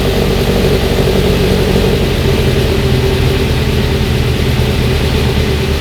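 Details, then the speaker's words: Mazda NC Miata with a swapped 2.5 engine, first start after its gummed, clogged 2.5 injectors were found causing the no-start. The engine climbs smoothly when revved and settles cleanly, with no misses or knocks. It runs healthy. "Otherwise, everything sounds good, runs fine, at least idling and everything."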